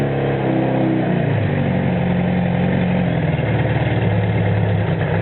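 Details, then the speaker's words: 1974 Honda CB500 Four with four-into-one exhaust, off the road 10+ years, after carb cleaning, new plugs, battery, oil change, fresh fuel from remote tank: smooth four-cylinder burble rising and falling cleanly with throttle, no knocks; carbs still need setting up. "i've changed the oil and everyone this is what it sounds like it's quite good for an old bike"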